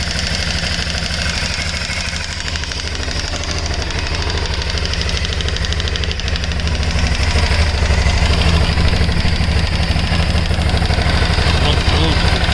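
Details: 2008 Aprilia Shiver 750: fast regular metallic rattle, about three a second, over idle, louder as revs rise, cause not yet pinned down; engine rattle.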